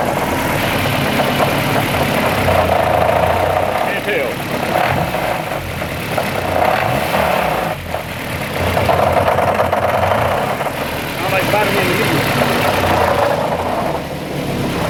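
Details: Idling petrol engine with an uneven knock about three or four a second over a steady hum, which began after a run to 8500 rpm. Distributor drive tooth was found broken. No noise when cranking with plugs out, oil pressure good. Head already removed. Possible rod knock suspected.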